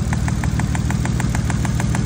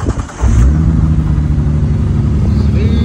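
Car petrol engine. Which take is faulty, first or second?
first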